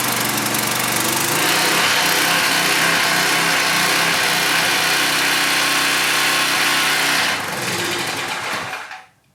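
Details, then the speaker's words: Cheap returned pressure washer small engine, governor spring at maximum tension on high-speed setting, target about 3,500 rpm: high, steady, buzzy scream running too fast; governor spring overtightened, to be loosened. "that's a little bit too fast is it okay i'll release a little bit of pressure on the spring and go again"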